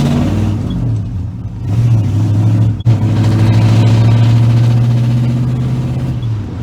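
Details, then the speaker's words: 1967 Ford Galaxie on first test drive after junkyard Ford 9-inch rear end install: steady engine and road rumble swelling with throttle, no whine, clunk or squeak; rear axle quiet and normal. "oh no squeaks nothing that sounds out of the ordinary"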